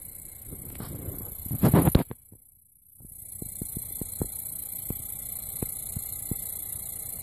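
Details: Refurbished Xbox One console making an awful noise: faint steady hum broken by irregular buzzing, grinding and sharp chirps, source location unclear; abnormal buzzing and chirping.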